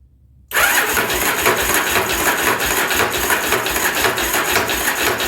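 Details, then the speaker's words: 1983 Yamaha Virago 920 barn find, cranking on a stronger battery: steady fast cranking with busy mechanical clatter over the starter whir, never firing; not getting fuel; owner unsure if starter makes the noise. "we're not getting any fuel yet I squirt something in the car I'll get it to fire off"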